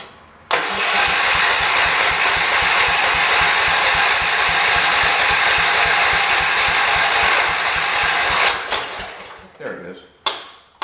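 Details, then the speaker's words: 1978 John Deere 208 garden tractor after head gasket replacement and fuel line air bubble cleared: engine catches and runs with a lumpy, uneven beat about four pulses a second then dies; rough running, weak battery and carb suspected. "there it goes i got it why is it running so bad"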